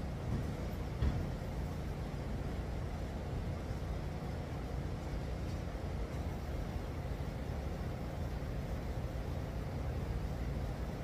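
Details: 1954 GMC COE truck with a GM 4.3 L Vortec engine, idling after the spark plug gap was changed: low, smooth rumble with no spitting or stumbling, a clean idle, unlike the day before, when it needed throttle feathering to stay running. Normal idle.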